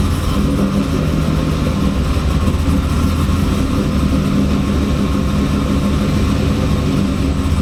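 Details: 2002 Camaro SS with freshly built LS V8, after disabling VATS security via HP Tuners to cure no-start: fires straight away and settles into deep, even idle with no misses; normal start and idle.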